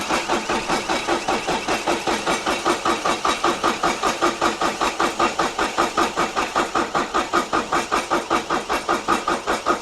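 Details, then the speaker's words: Irrigation pivot engine at 6,574.5 hours, fresh oil and new filter, cranked a few times to circulate oil before starting: even starter chugs, no catch or grinding; normal cranking. "I'm gonna crank it over a few times to get some oil moving around in there, and then I'll hit the button that'll start it."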